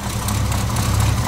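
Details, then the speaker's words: Dually truck V8 idling cold, oil pressure 40 at idle: deep rumble with faint quick ticking of an exhaust leak; leak returns despite two gaskets, owner suspects cracked manifold or leftover old gasket. "I'll even take you underneath and show you where I put it and you can hear an exhaust leak which is coming"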